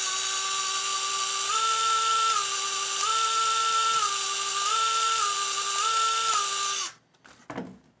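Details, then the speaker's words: Axial AX24 RC crawler: steady high electric whine rising and falling in pitch with throttle, loud on 100 setting without speed change on the ground; owner blames the poor speed controller, not confirmed. "when that's on the ground it doesn't change its speed at all it just makes more noise on 100"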